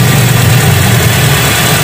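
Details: 2001 Hyundai Atoz GLS petrol engine, pre-trip check, listening for uneven rhythm: even, steady low idle drum with no skips or stumbles; healthy, no misfire from plugs, coil or plug wires.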